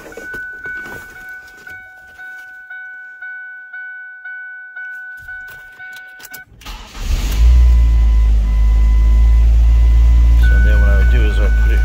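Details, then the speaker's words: 2005 Ford Focus petrol engine at idle just after fuel rail pressure sensor replacement (codes P0191, P0171): warning chime, then it cranks and settles into a fairly steady idle, a slight shake remaining but much better than before. "So it's got a little bit of a shake, but I think it's a lot better, and that sounds a lot better at idle."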